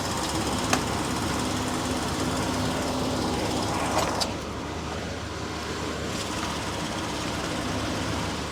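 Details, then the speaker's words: 1999 Chevy P30 / Forest River Georgetown 303 RV with a leaking chassis AC, being recharged with the engine idling and AC on full high. A steady hum, then a click as the compressor clutch cycles off; gauges read about 20 low, 150 high. Low charge suspected. "So the the AC compressor is kicking on and off now. See the gauges going up and down."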